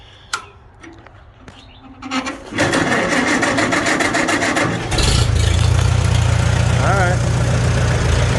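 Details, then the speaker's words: Farmall A antique tractor on its 6-volt system, started after a transmission service refilled with 5 quarts: a few clicks, then steady cranking about four beats a second before it fires and runs. The 6-volt starter turns it fine. Normal cranking. "Don't turn too bad for 6 volt. Let some of that new stuff get flowing in there. Turning and churning."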